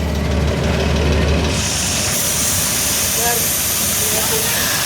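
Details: Engine idling with a steady rushing hiss over a low, pulsing idle from an exhaust leak at the muffler and just before the catalytic converter.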